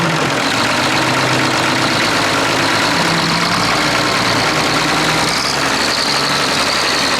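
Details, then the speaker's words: Clark Michigan diesel front end loader idling cold; loud, fairly steady idle with a slightly uneven, lumpy beat, running a bit rough while cool. "She runs a bit rough on when it's cool, you'd be right."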